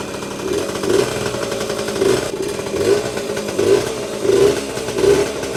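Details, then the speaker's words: Vintage Yamaha GT80 Enduro (1977–79, exact year unknown), small two-stroke, first start after sitting unused a while, oil just changed, on choke: starts quickly, crisp ring-ding buzz rising and falling with throttle blips, little smoke; normal healthy running. "Wow, that was pretty impressive. Didn't take long to start, and yeah, these old two-strokes, man, just start right up. Not even that much smoke either."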